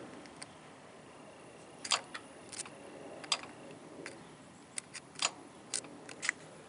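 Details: 2015 RAM 1500 A/C compressor clutch coil jumpered directly to battery, connector fault found: sharp clicks each time power applied and removed, clutch pulling in and releasing; coil reads six ohms; normal compressor clutch engagement.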